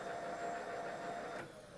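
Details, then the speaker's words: Milling machine power feed with continuously variable speed control, speed knob turned up: steady motor whir that drops and fades as the feed motor winds down; normal spin-down. "turn the knob up and you can see the handle turning turning faster as I turn the speed knob up you can hear the motor in the power feed winding down"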